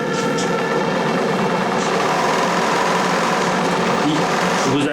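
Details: Small steam engine in a live-steam RC model boat (Bavaria project) on its first heat-up test, gas-fired: light, quick, even chatter at a steady pace with no knocks or stumbles; engine running smoothly.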